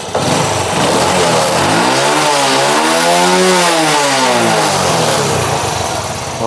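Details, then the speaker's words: Honda Wave 100 motorcycle after new C6HS spark plug and carburettor clean, air screw about 1.5 turns out: engine blips up smoothly and settles back, throttle response good, idle raised slightly; faint tok-tok from rubber parts. "ขาเร่งสมบูรณ์ดีจัดตั้งรอบเดินเบาเพิ่มอีกนิดนึง"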